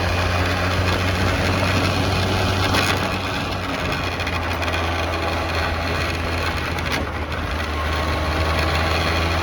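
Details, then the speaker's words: 1989 Yamaha Riva Razz 50cc two-stroke scooter with 2,500 miles, after a tune-up and a premix conversion. A fast, even buzz at idle with no misses or knocks. Slight smoke, which the owner suspects is leftover oil in the line giving a little too much oil; it idles cleanly. "Smoking a little bit, but I think that's just the leftover oil that's in the oil line. We converted it over to premix, so I think there's just a little bit of oil left in that line, so it's probably just getting a little bit too much."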